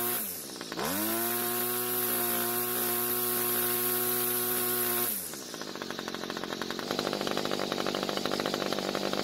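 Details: Homelite string trimmer two-stroke, restarted without choke after flooding: revs up smoothly to a clean steady wide-open-throttle buzz, then drops to an even idle; runs well, no carb adjustment needed, and sounds possibly ported.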